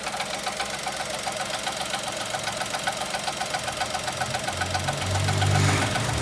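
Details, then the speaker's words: 2020 Chevrolet Onix with a 3-cylinder engine at about 1,000 km, just started and parked, recorded from inside the cabin: a fast machine-gun-like metallic rattle over idle each time the brake pedal is pressed, stopping on release. The mechanic suspects the brake vacuum pump; the dealer calls it characteristic. "e aí é daqui de dentro a gente já observa o barulho barulho de lata e o barulho"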